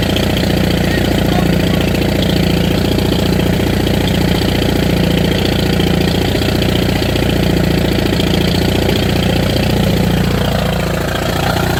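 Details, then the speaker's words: 1959 International Harvester B275 diesel tractor just after a cold start, glowed with throttle wide open: loud clatter at fast idle with a lumpy, missing beat. It later runs on all four but over-fuels; owner suspects a sticking rack or diaphragm problem. "It seems to have a bit of a miss, too. But anyway, we'll get it off the trailer."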